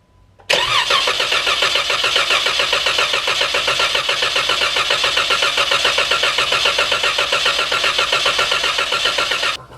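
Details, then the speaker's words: 2014 Jeep Wrangler JK, 3.6L Pentastar V6, after oil pump replacement, fresh 5W-20: cranking with foot to the floor so it won't fire, priming oil; even starter churn, three to four beats a second, oil pressure rising to 85 psi. "let's give it some priming foot to the floor and turn the key all right see it's building pressure there"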